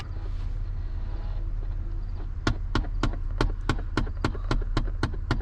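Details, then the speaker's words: 2011 Chevrolet Impala, sharp evenly spaced ticks about three a second over idle hum from behind the glove box: failing HVAC blend door actuator, fixed by replacing it. "like an angry person inside your glove box beating the hell a lot of stuff with a miniature hammer well that would be your actuator that has gone bad"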